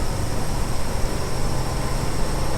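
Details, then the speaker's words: 1974 Ford F100 V8 with automatic, driving at about 40–45 mph: loud, constant, over-busy drone from screaming revs. Cause was the transfer case left in four-low. "but it seems like we're just screaming doing 40 relatively speaking because we come up here to 45 and just yeah sounds like we're just singing along"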